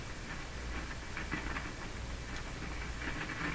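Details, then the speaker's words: Philco 48-1826 console radio on the shortwave band, antenna connected but not switched on: continuous hiss with irregular crackles and pops. Suspected source is a resistor, tube, capacitor, poor pin connection, band switch or volume control; not yet confirmed. "so that that sound can easily be a resistor that can come from a tube probably from a capacitor probably from a poor connection like uh where the two pins or something of that sort or the band switch or volume control"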